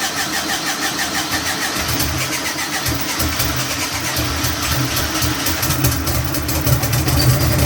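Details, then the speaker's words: Turbo air-cooled VW engine on the dyno, first start after the fuel pump primes: long uneven cranking with ragged firing that struggles to catch and settle; primary (priming) fuel sounds way too low for an easy start. "Okay, so obviously it needs more primary fuel, meaning when I first turn the power on and it primes up the system, it then shoots fuel in so that when you go to crank it, it'll fire right up easy. It sounds like the primary fuel is way low."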